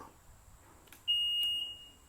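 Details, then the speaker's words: Brand-new BAUMR-AG 48V brushless electric ride-on lawn mower, charged overnight to 100%; after about 30 seconds the battery reading plummets to 0%, and on switch-on a single high half-second fault warning beep sounds. Cause unknown. "Actually, so straight away we've got a fault. I haven't even made it past the garage door. 30 seconds later, we've got a fault."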